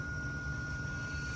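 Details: Raypak natural gas pool heater with flame rollout issues, right after heat exchanger cleaning, rollout switch jumped: even steady low roar with faint constant whistle, no popping or rumbling; flame now straight up, burner firing cleanly.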